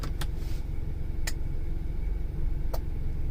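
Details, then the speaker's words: 2003 Ford Explorer 4.0L 4x4 with a 4WD-not-working complaint: over a steady idle, distinct clunks as the transfer case shifts between four-wheel low and high, engaging normally. "and you can hear a clunk there we go guys"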